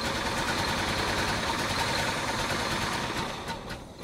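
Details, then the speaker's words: 1968 Chevy Caprice after sitting 18 years, first start on 12 V jumper wire with fuel added to carburetor float bowls: uneven loping idle stumbling every few beats, missing a cylinder or two; owner suspects loose spark plug wires, cause unconfirmed. "well that sounds awful it is uh definitely got some misses in it but at least it is running so we know it runs"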